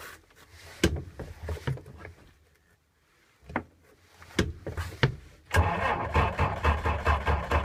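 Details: 6-volt engine: several slow, uneven cranking bursts with pauses and no catch, then it finally fires and runs rough; hard start, cause unknown.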